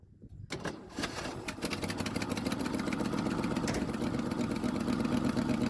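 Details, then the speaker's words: 1976 Ford F-250 with Holley 600 vacuum-secondary carburetor, first start after starter repair: engine settles into a lumpy rough idle with a sharp puffing tick about four times a second, black soot showing a badly blowing exhaust leak needing repair. "all right you see all the black stuff that exhaust is blowing terribly bad over there so I'll definitely have to fix that"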